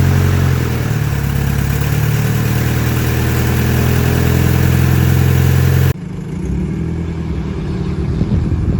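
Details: Turbo Honda Civic with an eBay turbo, first start after the build, fuel pressure at 60 psi: the engine fires and settles into a steady, even low rumble for six seconds before the level drops off; sounds healthy.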